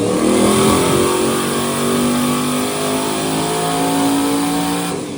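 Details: Turbo Corvette "Ruby" on Ignite E90 moonshine ethanol, run number 2, 30% more fuel, no added timing: strong clean pull, pitch climbing smoothly, no misfire, stutter or knock; normal engine pull under load on ethanol.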